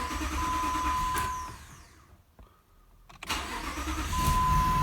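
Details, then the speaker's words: 2005 Jeep Grand Cherokee Limited 4.7 with codes P0335/P0315: engine runs, dies, then cranks and catches after a pause; hard starting needing three attempts, then a flashing check-engine light, from a crankshaft position sensor wiring fault; sensor replaced. "they have to do with a crank sensor the car will have hard time starting i have to do the same thing three times for the car to start"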